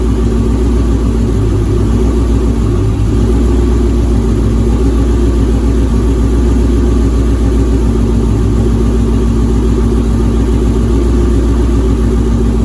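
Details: 2007 Mustang GT with swapped Coyote V8, no control pack, first start-up with custom exhaust: steady idle, even low rumble, lope of about three to four beats a second, no knocks or misses; runs healthy.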